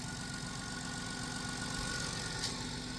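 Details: 2000 Chrysler Grand Voyager SE, 114,000 miles, first start after 8 years sitting, alternator seized: fires right up into a quiet, smooth idle with soft steady pulse and no top-end ticking; normal idle.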